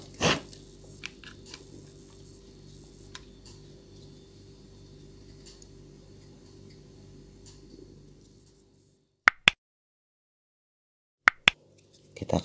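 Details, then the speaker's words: DIY mini aquarium pump built from a 9 V DC dynamo, run on a repaired used battery after the hose end hitting the impeller was flattened: a steady, even motor hum with no scraping, smoother than the rough sound before. Normal running. "suaranya halusnya temen-temennya tidak seperti sebelumnya pasar karena ada yang mentok di bagian dalamnya sini"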